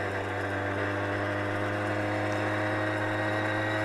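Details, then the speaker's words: 1975 Honda MR50 Elsinore 50cc two-stroke after new piston rings and crank seals, on-road ride shifting first, second, third and cruising: steady even buzz at constant pitch, no misses or rattles, running healthy. "man this thing's a cruiser first second give her a little time third and we're cruising we're flying now"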